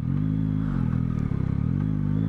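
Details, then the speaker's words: Yamaha MT-09 with Y-AMT automated clutchless gearbox, slowing down while riding: engine note drops, then one sharp clunk as the box kicks down a gear; rider suspects it is more noticeable cold and less once the engine warms. "c'est le la boîte qui sort alors je trouve c'est alors peut-être c'est parce que le moteur a pu chauffer un peu"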